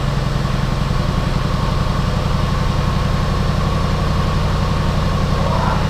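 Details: Flood-damaged Jaguar XK V8 bought from Copart, first start on a battery pack with much unplugged: smooth, even idle with a steady low burble, no ticks, knocks or stumbles; engine runs healthily.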